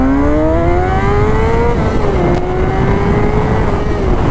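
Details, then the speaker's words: 2004 Honda CBR 600RR that had lost power at high rpm, now fixed: strong clean rev climbing smoothly to high rpm, then easing and holding, no stumble or misfire; making power and running right. "we're making power now running right"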